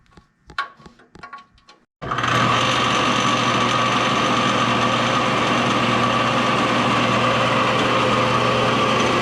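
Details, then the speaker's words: Old barn-stored Craftsman table saw with a newly fitted belt, running: steady loud motor drone with an uneven rattle of about three beats a second as the belt vibrates; worn bearings, possibly in the motor, suspected. "it sounds kind of wonky but is that how it should sound like it's rattling yeah and this belt was vibrating all over the place"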